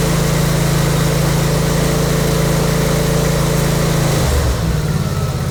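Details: Briggs and Stratton V-twin with Nikki carburetor, after cleaning the emulsion tubes and carburetor to fix surging: loud, steady putter holding even speed without hunting, then settling lower. Normal, stable idle.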